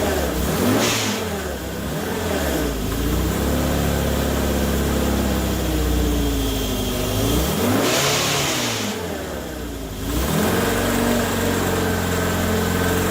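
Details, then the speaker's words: Morris Minor 1000 van with Judson supercharger, first start after installation, small four-cylinder blipped: loose metallic rattle and harsh intake rasp rising with revs from the supercharger, one-barrel carburetor sucking air hard. "well that's a whole new cacophony of sounds wow that i have never heard before but i've been told that this thing was gonna be noisy and it is it's very rattly"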